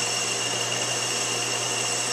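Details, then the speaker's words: Lathe drilling about six inches into 5/8 rod, a quarter inch per pass with plain oil; steady motor hum under a harsh gritty hiss as chips pack the deep hole, time to back out and clear. "you can hear when it starts raining and getting really gritty it's it's time to real a bit"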